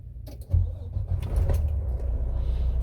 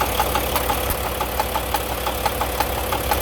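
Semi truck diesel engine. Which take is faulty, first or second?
second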